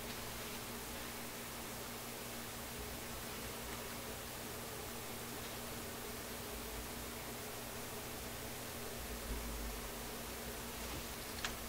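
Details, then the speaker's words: Nordmende console tube radio on shortwave, restricted power, no external antenna: only a steady, even hiss with no stations; suspected no local oscillator, built-in loop antenna works only on AM. "Doesn't seem to want to pick up any stations."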